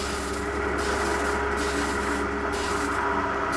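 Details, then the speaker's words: Newly installed Grundfos SCALA2 home booster pump station: steady pump hum with hissing, sputtering flow that keeps breaking up as air bubbles are still purged from the water lines after first start. "Вот надо выпустить весь воздух, когда он наконец-то начнёт в себя приходить."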